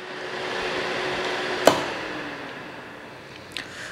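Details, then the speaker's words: HVAC training board with MARS 903 general purpose switching relay energized, points dropping from 120 V to 0 V: sharp relay click, then steady airy whir with faint low hum as the fan starts and runs smoothly; normal. "so now we're going to energize the coil we should get a voltage drop you see we have zero volts now and you can hear that this fan"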